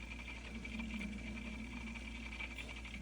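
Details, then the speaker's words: Setpower AJ30 portable 12/24V refrigerator running early in the morning: quiet, steady high-pitched squeak over the compressor hum, loud enough to be heard throughout the house. Source inside the unit is unknown. "Um you can hear this the squeaking throughout the house. It's early in the morning. It woke me up."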